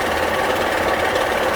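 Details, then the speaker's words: Honda Pilot at idle, oil and coolant levels fine; rapid metallic knocking heard through the oil pan, mechanic suspects a bottom-end bearing, likely spun bearings inside the engine, engine considered done for. "and it sounds like it's a bearing. It sounds like it's right in here. But I still could be wrong."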